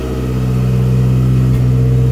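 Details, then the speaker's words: Turbocharged Suzuki Swift GTi on first startup under MegaSquirt: steady idle with occasional sharp detonation crack; owner suspects fuel knock but unsure, timing jumping around, spark plugs pulled quite black; rough unstable idle below 2000 rpm. "exhaust note's pretty good but as you can hear every so often there's a pretty good uh detonation of some kind i don't i think it's a fuel knock i'm not i'm not sure"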